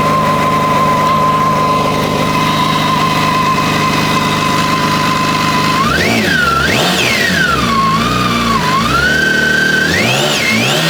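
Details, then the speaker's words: BMW K1600GT motorcycle after an engine replacement for a connecting-rod-like knock: steady smooth idle, then several quick throttle blips climbing and falling cleanly with no knock or rattle; starts and runs normally. "значит двигатель отлично заводится работает вот я думаю что сейчас будет хорошо слышно"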